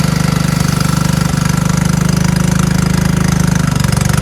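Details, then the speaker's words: Craftsman LT1000 lawn tractor, cranked on choke: steady but uneven thumping about 3.5 beats a second with heavy low chug; low compression, smokes and stops after about 30 seconds as compression goes; engine to be swapped. "And I need to swap out this engine because this engine starts, but it smokes and it only stays running for like 30 seconds or something until the compression goes away and then it stops."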